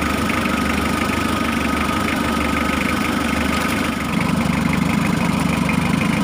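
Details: Mitsubishi L300 diesel, engine running: light steady click-clack ticking about three times a second over the idle as the glow plug relay chatters; glow plugs stay on continuously, making the engine heat up quickly.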